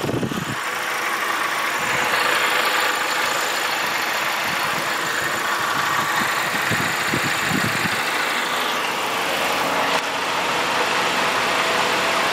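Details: 2005 VW GTI 1.8T idling with AC on: constant coarse rasping hum over the usual note with irregular low thumps, goes away when clutch is pressed; abnormal engine noise with AC on, cause unknown.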